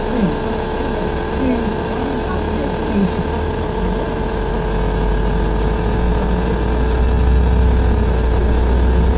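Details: Bus 53, heard from the upper deck: constant loud low drone with a steady tone on top, rising slightly as the bus pulls away, nonstop and loud enough to cause a headache; cause unclear.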